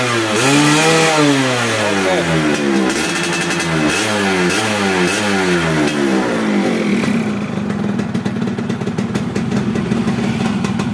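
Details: Yamaha F1ZR two-stroke after replacing CDI with original Yamaha CDI (was sputtering on throttle, kick-start kicking back): repeated blips rise and fall cleanly, settling to steady crisp high note. Healthy clean revving.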